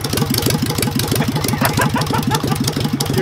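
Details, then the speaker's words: Engine with Solex 30 PICT carburettor after refitting the original needle valve: uneven quick tapping and occasional pops over the idle, about three beats a second; owners suspect a valve problem, unconfirmed. "yeah she's popping somewhere but i'd say some of it could be valve problem"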